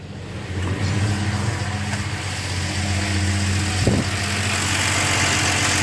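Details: 1971 Plymouth Valiant slant six with Comp 260 cam (about 260 duration, .440 lift), 318 valve springs and a V8 carburetor, in neutral: steady, even low idle with a smooth, regular beat, no knocks or misses; running healthy.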